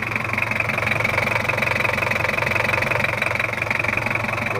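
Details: Toyota Kijang LGX 2.5 diesel due for valve adjustment, with oil seal leaks, at idle: steady harsh, uneven clatter a little over three beats a second; rough idle (cause suspected, not confirmed).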